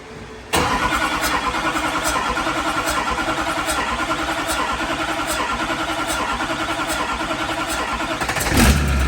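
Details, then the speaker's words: LBZ Duramax diesel drag truck on its first start after the build and fuel-system priming. It fires and runs with a slightly uneven, lumpy beat and occasional stumble; air is still trapped in the fuel system. "It's getting there. It's got a little air built up in her. Keep running."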